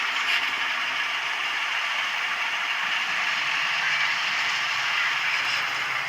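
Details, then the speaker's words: Rebuilt Atlas Cotton Belt RSD-4/5 model locomotive with original decoder reused, running after reassembly: steady high-pitched hiss and whine from the small motor at constant speed; commutator whining though it runs smoothly. Whine later disappeared after running in. "yeah there's a funny noise to it but other than that it seems to run pretty well runs really smooth it's just strange to hear the commutator of all things whining"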